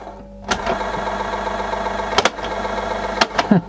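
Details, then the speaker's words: Panasonic/National RX-CW26 boombox cassette deck before the repair: the motor runs with a raspy scraping drone and handling clicks, apparently from scraping on the capstan. One motor probably drives both decks by a belt. "scraping on the Capstone I'm guessing well it's probably one motor running both"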